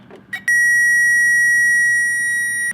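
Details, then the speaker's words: Power Probe 3 tester on a lead straight from the battery reading 12.5 volts with the red positive indicator lit: one steady high-pitched beep of about two seconds signals power; the mode button mutes it. "So you can press it and turn that annoying beep off if you want. So all you see is the indicator light, but if you press it again, you'll hear the noise. And that noise means power."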